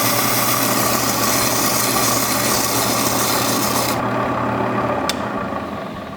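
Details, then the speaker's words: Faceting machine, Madeira citrine lowered onto a spinning lap with water drip, cutting the P1 tier: even, dry rasping hiss that stops abruptly when lifted off; stone cleanly touching the spinning lap as it should. "I also move the stone back and forth as I lower the mast and when you hear the grinding you know you're touching the mast the mat the stone is touching the lap"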